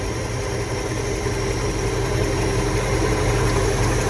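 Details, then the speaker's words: 1977 Dodge D-600, first run since 2009, once its fuel pump started pulling fuel: steady, even idle with a deep throb and a faint fuel-pump hum, running cleanly without stumbling. Previous owner could not make it run. "Wow. First time running since 2009."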